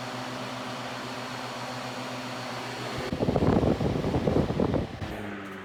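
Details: Vintage Mimar 425 fan, reassembled with rear felts cleaned and oiled, running on high: steady hum with faint uneven rattle, then a burst of clattering, even with grills firmly attached; rattle source not found.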